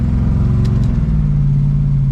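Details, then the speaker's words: Plymouth Barracuda with a TransGo TF3 shift-kitted 727 TorqueFlite automatic on its maiden drive: the engine pulls hard, then revs drop quickly and cleanly into third, settling to a steady lower drone. A prompt, healthy upshift. "shifted right away right hit third nice"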